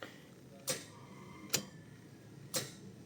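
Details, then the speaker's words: Car won't start, battery strong and dash lights don't flicker: four sharp single clicks with no cranking, suspected starter fault. "Pero pagka ganito narinig 'yung pitik yan. Possible starter 'yan."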